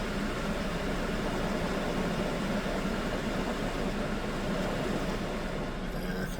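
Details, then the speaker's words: 2013 Chevy Malibu, 98,062 miles, warm idle with AC on after cleaning MAF sensor: steady low engine hum with fan-like rush and only faint rise and fall; idle far steadier than before cleaning. "It's definitely doing a lot better than it was before I sprayed the MAF sensor cleaner. It was up and down, like it's pretty steady. I'm not even gonna lie, that's as steady as it's ever been."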